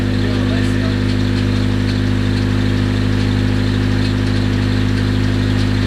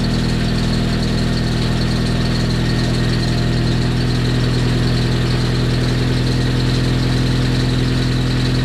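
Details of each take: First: Rebuilt Nissan KA24DET, freshly built engine, idling: sharp regular top-end tick about two to three per second, sounds like lifter tick; nothing found loose under valve cover, cause unconfirmed. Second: Freshly rebuilt Nissan KA24DET on first start, cold evening: even, steady idle with a smooth low beat, no knocks, misses or ticking; the engine is running healthy.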